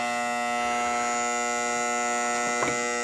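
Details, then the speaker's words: 1976 Bally Flip Flop pinball powered up with a game started after reassembly, flipper unit not installed: a steady electrical buzz with a few faint clicks near the end from a noisy relay that needs locating. "well shoot we do have a noisy relay see if we can locate it real quick"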